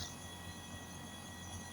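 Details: Non-inverter air conditioner outdoor unit after replacing burnt connectors and failed capacitor: compressor starts drawing about 11.18 A, steady even drone with low hum underneath, no knocks or rattles; repair successful, runs smoothly.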